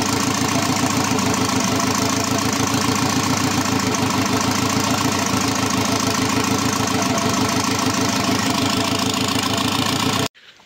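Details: Škoda 1.4 MPI turbo after readjusting the position sensor, engine refitted with gearbox: steady even idle with regular firing pulses, no misses or knocks; sounds healthy.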